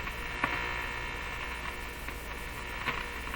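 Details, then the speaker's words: Nordmende Boheme C hi-fi tube radio on bench, powered at reduced voltage: constant low buzz with faint upper whine, not the crackle, can't be tuned out; source untraced, maybe the radio or picked-up interference. "not sure i can identify what that is i don't know it's either coming right from the radio or which would be a little unusual or there's it's picking up something that i don't normally hear on radios"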